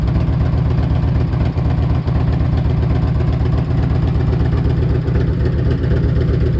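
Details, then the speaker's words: 1998 Harley-Davidson Electra Glide Classic, almost 100,000 miles, very hot engine, idling right after an oil change with 20W-50 Valvoline VR1 to fill the new filter; deep, even V-twin lope, no knocks or ticks. Normal healthy idle, still purrs. "Sounds good for a 1998 with almost 100,000 miles on it. She still purrs."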